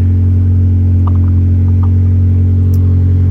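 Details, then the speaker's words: Honda with an idling problem and no check engine light, where pressure whooshes out when the cap is backed off and a vacuum leak is suspected: constant low drone held at a raised speed with exhaust rasp underneath, idle running too high. "So yeah, like I said, this thing, it's revving high. I'm gonna check, see if we can find a leak here."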